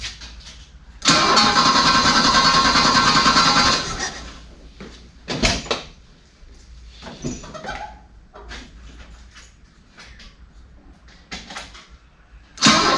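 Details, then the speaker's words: Abandoned Australian Ford Falcon ute, stale fuel flushed and coolant topped up, restarted: catches and roars, then ragged rough idle with pops and dropouts; suspected lean misfire from a dirty carburettor idle circuit rather than a sticking valve. "I don't think that's sticking a valve. I actually think it's lean misfire."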